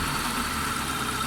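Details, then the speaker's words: Hyundai Santro engine just after tappet adjustment (closed exhaust and piston tappets corrected; it was missing before), battery low: a smooth, even idle with no tapping or misfire. The engine sounds healthy. "गाड़ी start है, मेरी battery down है, बिल्कुल ठीक है, light on नहीं हो रही। स्मूथ है इंजन, बिल्कुल"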